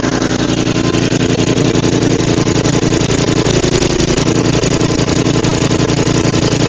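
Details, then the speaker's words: Roadside-found Murray 5HP 24-inch snowblower (Tecumseh) after head gasket replacement, carb cleaning and throttle adjustment following a runaway: loud, steady, even putter with no stumbling or surging; normal idle. "So that's great. This thing runs amazing. It actually even idles, which is wild."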